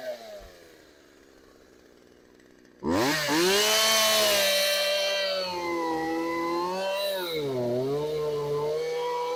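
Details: Craftsman chainsaw left outside for years, cold start after idle and low-speed adjustment: fires after a pause, revs up and settles into a strong even idle; running healthy.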